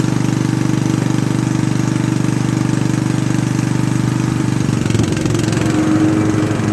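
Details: Restored Craftsman T100 riding mower after belt replacement: even engine drone, deck engages near five seconds with a smooth whir and none of the earlier marbles-in-a-drum rattle; deck runs as it should.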